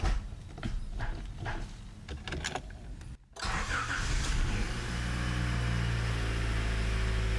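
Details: Honda CRX with new aftermarket fuel tank and Walbro 255 fuel pump installed: a few clicks, then the engine cranks, catches and settles into a smooth, steady idle with no misses; normal start and idle.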